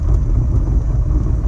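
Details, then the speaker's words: 1934 Ford 3-window coupe hot rod, SBC 383 with dual-quad tunnel ram, nitrous, Turbo 350 transmission, Ford 9-inch rear with 3.73 gears, heard from inside while reversing: deep rough growling rumble, rear differential sounds loose; suspected, oil level full, not when driving forward. "That's the differential. That sounds loose."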